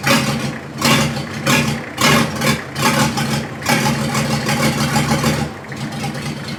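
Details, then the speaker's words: Diesel in a 1954 Ford F600 on a 1995 Toyota Coaster bus chassis, no exhaust fitted, started possibly not fully bled: loud, raw open-pipe idle surging unevenly for a few seconds, then steadying as the fuel supply firms up. "And it works. It's loud because it's got no exhaust on it, but not actually as loud as I thought it would be."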